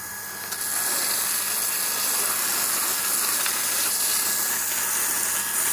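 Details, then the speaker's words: Gianz QB60 peripheral water pump on IBC container/rainwater tank, hose open; pump starts and settles into steady high motor hum with water rushing evenly and no rattle; running fine, no leaks. "Now we turn the pump on. I press the button, and there's the water. Unbelievable. Yeah, it's all working fine."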